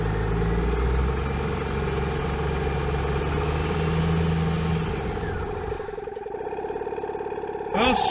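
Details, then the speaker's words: Jeep idling while powering a Tozalazz dual-piston air compressor: the idle sags and turns uneven, then the engine stalls and the compressor fades. Owner notes the Jeep had not run for a while and suspects a weak battery. Unconfirmed. "my Jeep just died foreign well that was a fail I could hear the Jeep starting to run weird I could hear the compressor starting to get quiet"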